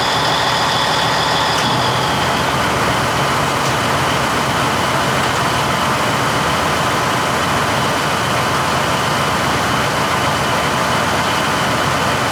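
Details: 1953 GE 80-ton long-frame diesel locomotive, last run 1998 by the Navy, just revived: loud steady roar, no stumbling or surging; takes load and pulls smoothly, forward and reverse. Air throttle has dead spots, likely loose wiring.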